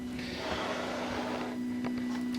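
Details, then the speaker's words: Ultimaker 3D printer loading PLA filament after the material is selected: a steady low motor hum with a faint whirr as the extruder drive on the back grabs and pushes filament, normal feeding. "Now that we're at this step, you can hear the extruder motor trying to feed the material, so that's good."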